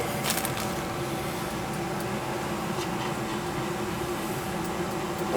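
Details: Goodman gas furnace after a burnt-smelling no-heat fault from a cooked, blown relay on the control board: steady, even blower hum with smooth air rush, no clicks or roughness; normal running cycle.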